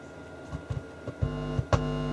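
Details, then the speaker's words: Technics SU-V303 amplifier with one channel faulty: low mains buzz cutting in and out in short bursts as the input selector switch is worked on that channel; intermittent hum from a dirty input selector switch. "we mess about the selector switch you can hear every now and then pretty crap but it works"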